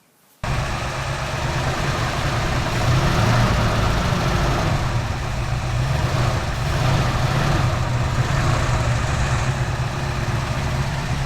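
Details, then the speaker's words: 1974 Ford F100 Cleveland V8 rescued after sitting: steady, even low rumble at idle; earlier exhaust puffing, blamed on an exhaust valve sitting off its seat, has stopped; plugs may need cleaning as it fouls them. "The idle's now smooth, the fluffing out the exhaust has stopped, but I'll probably have to clean those plugs because it does foul plugs."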